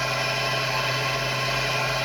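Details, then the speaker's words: MRSh-3 three-phase rail grinder (star, 220 V, 1.8 A, 50 Hz, S3 40% duty) on single-phase 220 V via run and start capacitors, start cap switched off at speed; smooth even hum, runs normally but loses about 40% power. "Все нормально, можно точить. Но все равно мощность падает где-то процентов на 40."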